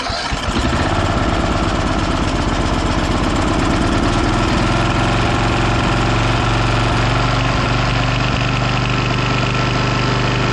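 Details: Abandoned Bolens FS-11 articulating tractor's small single-cylinder engine after rewiring, throttle thought to be set on fast: it catches within a second and settles into a steady, even chug with no misses, knocks or hunting. Normal running.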